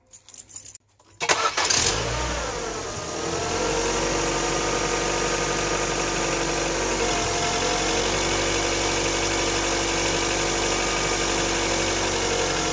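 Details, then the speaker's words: Facelifted Ford Focus MK1 1.6 without air conditioning, just after fitting a new stretch-type auxiliary belt: normal start with heated front and rear windscreens switched on; engine cranks, catches and idles evenly under electrical load with no belt squeal or chirp. "sometimes it actually squeals when you don't press the switch but fine no problems at all"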